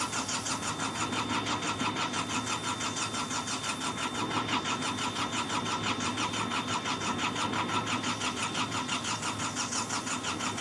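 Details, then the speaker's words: Hitachi EX55UR excavator diesel, sat a year with broken boom; steady starter cranking at about three beats a second, never catching or firing; crew feels it wants to start, will try again tomorrow. "it don't sound any different she wants to mhm I can feel she wants to just got to give her some more florl tomorrow"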